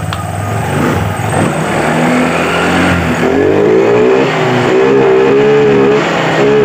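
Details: Honda Vario 125 revved on the stand: it climbs but wavers and stumbles near the top instead of rising cleanly, hesitating at high rpm. A sensor fault affecting other sensors is suspected, not confirmed.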